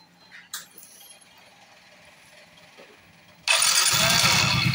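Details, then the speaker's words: Soul GT 125 / Mio M3 scooter with the CVT cover refitted without belt and rollers: the engine fires into a smooth, even idle with no rough knock, so the rough noise is not from the engine. "Suaranya sekarang terdengar lebih halus. Jika kita membongkarnya seperti ini dan suaranya halus, itu berarti sumber suara tersebut bukan dari mesin."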